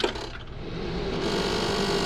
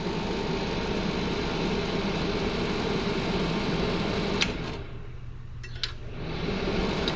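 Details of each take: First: Might see what's causing that rattle. See if I can, might just be a loose screw somewhere. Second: Old DunHot popcorn popper, fan oiled and top screws tightened: steady even motor hum, top no longer rattling; normal smooth running.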